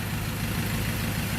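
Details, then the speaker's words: Diesel 2.2 engine that previously ran with heavy white/black smoke and knocking, after repair: steady, even low idle with smooth regular beat, quiet, no knocks or rattles; normal idle. "ตอนนี้เป็นยังไงเงียบแล้วเนาะเงียบแล้วนักเลงออกดีแล้วนะครับ"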